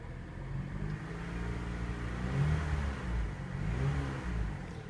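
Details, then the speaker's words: Copart Chevrolet Cavalier with a typical Chevrolet four-cylinder, on a test drive: low, even hum rising and falling gently with throttle, no knocks or rattles. Normal running. "in a typical Chevrolet four-cylinder motor so though nothing really exciting about that"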